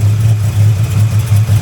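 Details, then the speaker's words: Camaro V8 with misfire and self-spiking throttle: steady low idle with faint pulsing knock, owner thinks it is an exhaust leak further down the exhaust, louder lower down; knocking noise at idle. "the knocking noise that I thought I heard I'm pretty sure it's an exhaust leak but not from up here from further down"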